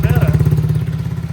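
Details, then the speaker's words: Tao Tao 110 ATV single-cylinder after rebuild work: steady even idle, no clapping or knock; engine good now, normal idle. "She's good now, boys. It won't spin them. Throttle's on."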